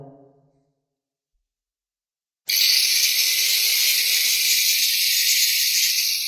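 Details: DeWalt angle grinder after repair of a not-working fault, bench-tested: silence, then motor starts and settles into a steady high whine with an even hiss; runs cleanly.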